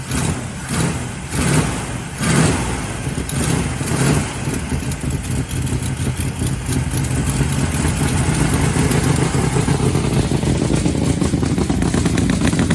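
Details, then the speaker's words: 1965 Ford Fairlane project car, long-sitting, first start after a new gas tank and sending unit, after flooding: uneven, lumpy firing with loud surges, then a steadier rough idle; running poorly, needs cobwebs worked out. "she's alive that's it we finally heard her run and she sounds nasty she definitely gotta work some cobwebs out"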